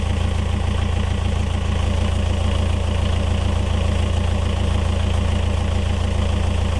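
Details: Yanmar 4JH4E marine diesel in a sailboat, first run after 10+ years sitting since 2006: steady, even smooth idle beat about 200 per minute, no knocks or misses; oil pressure good, healthy.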